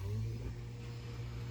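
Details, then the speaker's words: 2004 Honda S2000 with 109,000 km, pre-purchase inspection: driver's side power window runs with a smooth, even motor hum, no grinding or strain, ending in a clean stop; window operates normally. "This is the driver's side window. Seems to work."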